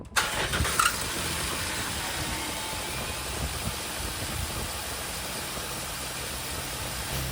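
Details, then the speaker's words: Jeep Wrangler 3.8L after replacing failing water pump (power steering pump, tensioner, idler pulley, alternator already replaced): quick start then steady even idle, front-engine whine/bearing noise gone, no leaks; water pump was the cause. "And then the noise is not present anymore. So the issue I was trying to find in the last several videos, it was actually the water pump."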